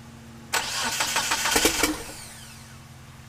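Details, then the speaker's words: 1997 Eclipse GSX crank-no-start with a 95-96 ECU, cam sensor flipped 180: about 1.5 seconds of fast, even starter cranking that never catches, then silence; owner suspects a timing issue and the cam angle sensor. "so now I definitely think it's a timing issue and I got to figure out the camera angle sensor"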